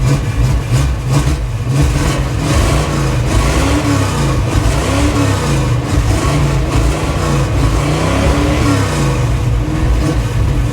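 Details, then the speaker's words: 1977 Chevy Monte Carlo, off the road about 30 years, cold start while adjusting the fuel pressure regulator: a rough, surging low rumble that wants to die; the cheap adjustable regulator, which was making a noise, is suspected as the problem. "That's better. Okay. Well, warm up a little bit. Well, uh don't choke on it, but that seems to be a problem. I would say that's our problem right there, the cheapy cheapy regulator that we have to adjust."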